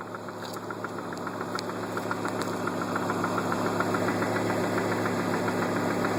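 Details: Volvo S70 T5 at idle: sharp, steady ticking-knock about three or four per second, getting louder. Owner suspects rod knock, unconfirmed.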